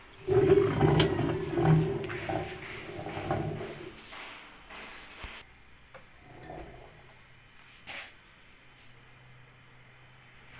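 A loud, rough roaring from a washing machine drum that fades to a low hum: worn drum bearings.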